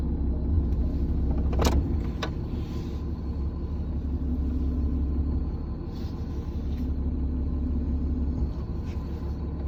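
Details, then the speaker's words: 2017 Ram 2500 6.7 with about 84,000 miles, heard inside cab under driver's side by brake pedal: steady low drone, vibration and faint grinding whine, not audible at the engine; failed power steering pressure hose from hydroboost to pump. "Been dealing with some whining, kind of a grind, kind of like a vibrating noise. It's only on the interior of my truck, not on the exterior. You can't hear it outside by the engine, but underneath the driver's side by the brake pedal, it's kind of like a leak, an air leak sound"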